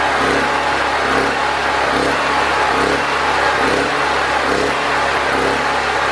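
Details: Predator 4000 generator with a brand new carburetor cleaned twice and a new fuel filter, gaskets suspected, choke on, air filter off: the idle rises and sags about once a second instead of holding steady. Owner suspects too little air restriction, as partly covering the intake evens it out.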